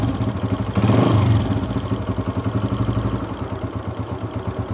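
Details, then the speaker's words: 2022 Honda CG125 with magnet case removed: single-cylinder idle with a light, fast clatter over the low thump; the cam pin visibly vibrates at idle, and on throttle the vibration stops but cam noise starts. "इसको इसको थोड़ा accelerator देते हैं क्योंकि जब accelerator देते हैं केम speed से मूव करती है तो उस टाइम इसकी वाइब्रेशन खत्म हो जाती है लेकिन इसकी साउंड शुरू हो जाती है आवाज शुरू हो जाती है"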